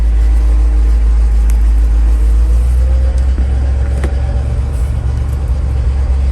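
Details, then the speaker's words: 1988 GMC 7000 boom truck, big-block 366 V8, idling with hydraulics disengaged so it's just the motor: deep, steady low rumble, even pulse, no ticking or misfire; smooth runner, normal idle. "and so now that's just all motor [Music] anyway she's a smooth Runner"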